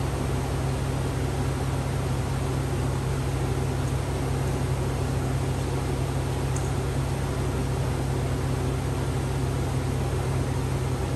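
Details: 2004 Chevy Avalanche 5.3 V8 just after a water pump replacement and coolant refill, still warming up: a smooth, even low rumble with a steady beat and no knocks, squeals or misses. A normal idle.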